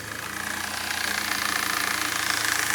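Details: 1995 BMW 318is E36 with the 1.8 engine at idle: a light, fast ticking of about four per second over a steady idle. Owner asks what the noise is; the cause is unidentified.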